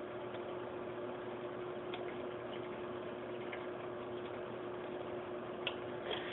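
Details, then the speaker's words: Penguin BioWheel 200 aquarium filter after pulling the sponge out further to stop water cascading, lid still off: a faint water trickle and low hum with no rattle. It is now almost completely quiet. "all right so I adjusted the sponge a little bit it pulled it out a little bit more and it's almost completely quiet now"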